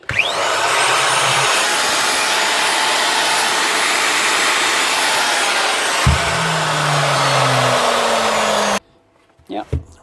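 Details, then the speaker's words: Hitachi angle grinder under repair, test run before bearing replacement: high rough gritty whirring at full speed then falling coast-down whine; bearings totally shot, loose bearing clamp plate screws, gear teeth fine; worn bearing noise. "obviously the bearings are all gone the rest of the motor looks okay and barings are totally shot but the teeth look okay"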